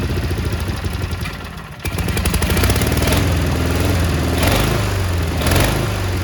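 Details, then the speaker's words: Cub Cadet 1430 lawn tractor after years sitting with red old fuel, just started on ether: idle surges up and down unevenly, ragged beat while burning off deposits; won't idle well, one side possibly misfiring. "there she is look at that it's surging a little bit but it's burning off all the crap that was on it it smells so bad she don't like uh she don't like idling"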